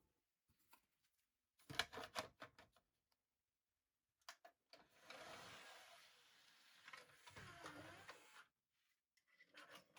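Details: Pioneer DVL-919 LaserDisc/DVD player, sent in for Side A skipping, running with its cover open. A few soft clicks as it switches from the DVD laser to the LD laser, then a smooth, steady whir as the disc spins up and plays; a normal startup.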